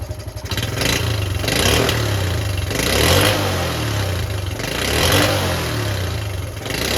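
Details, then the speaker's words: Honda C70 Cub small single under restoration labours and surges unevenly, revs rising and sagging with no steady beat; rough running from incorrect ignition points timing. "yeah thought it was perfect I think you know why it wasn't perfect"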